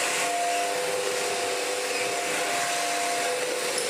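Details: Shark NV801 Lift Away vacuum on its first power-on test before a full clean, picking up floor dirt: steady high whir at an even pitch, no rattles or bogging; running normally.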